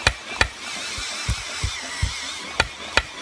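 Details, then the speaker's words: Kia Forte 2.0 Theta engine, stopped and turned by hand with finger pressure on piston top: sharp uneven metallic smacks; idled with light tapping, rapped under load. Piston slap from worn piston skirts and cylinder walls. "the condition that we'd see is this was idling it would make very light tapping noise but as soon as you gave it load it would rack it"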